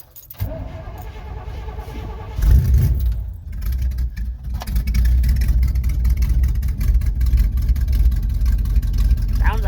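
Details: A 1971 Chevy C10 that sat outside about a week gets a spring cold start on the choke. It cranks, catches and settles into a steady low rumble with one blip, with no odd noises: a normal cold start.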